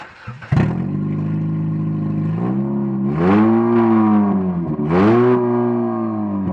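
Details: Muffler disconnected from the exhaust manifold, engine running with open manifold: very loud, raw blatting exhaust that swells with each of two revs; exhaust leaking at the manifold.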